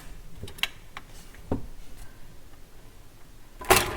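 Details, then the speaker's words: Garrard M50 turntable under repair for no auto function: platter spins, record drops with a few dull clunks, then the auto cycle immediately stops instead of completing. "all right so platter spinning dropped the record immediately stopped"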